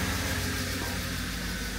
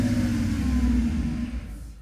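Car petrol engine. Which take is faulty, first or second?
second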